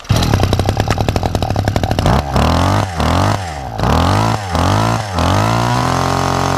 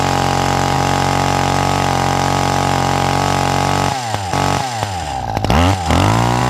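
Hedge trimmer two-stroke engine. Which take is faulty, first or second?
second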